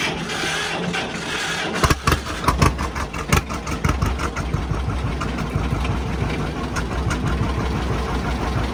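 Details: Antique John Deere 60 tractor with a known faulty starter: starter struggles, then the engine catches and settles into a steady, lumpy low putt; sounds healthy once running.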